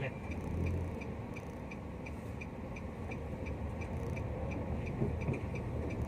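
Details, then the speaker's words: Nissan Almera test drive after rear wheel bearing replacement (previously replaced June 2019); before, a humming drone came from the rear wheel around 40-50. Now smooth road rumble, no droning hum, only a faint regular tick; rear bearing quiet. "Let's go. Ayun, fortunately naman wala nang ingay."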